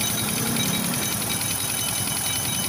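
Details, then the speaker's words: Motorstar Well 125 (Honda Dash-type engine) at idle: fast, even metallic clatter over a steady idle, loudest at the cylinder head; timing chain okay. "may latang tumutunog Ayan oh Okay naman yung timing chain e Napansin niyo y yung latang may kalembang an may langis naman siya"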